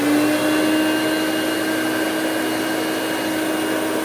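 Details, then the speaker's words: Two-speed Hoover Celebrity QS (Quiet Series) vacuum, power head not plugged in, on low speed: a steady, even motor hum with a constant mid pitch and no rattle; normal running (owner notes some bearing noise at wind-down). "let's go ahead and fire this thing up got it on low speed"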